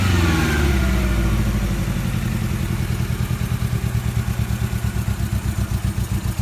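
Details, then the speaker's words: 1994 Toyota Tercel, hot, after three cans of Seafoam; a valve is suspected not to be sealing, with cylinder 4 the main issue and exhaust leaks up front. Revs drop to an uneven, lumpy idle pulsing like a dead cylinder from low compression. "cylinder 4 is the main issue so we're gonna test it"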